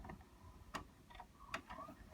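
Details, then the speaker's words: Pioneer DVR-RT502 DVD/VHS recorder, VCR eject pressed after stopping playback: two sharp clacks about 0.8 s apart with faint motor whirr as the cassette strikes the stuck tape door and reloads; the door must be held open by hand to eject. "And when we go to eject it, you're going to hear the tape hit the door because the door's not going to open."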